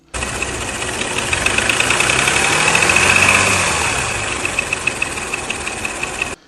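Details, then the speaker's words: Porsche Macan S after timing chain and tensioner replacement: steady, rapid knocking of three or four beats a second over the running engine; number six bore looked fine through a borescope, and owner suspects undersized pistons slapping the cylinder walls. "and he sent me a video of the pistons hitting uh basically being too small for the cylinder wall and just banging the side of the block, which is probably what that noise is now."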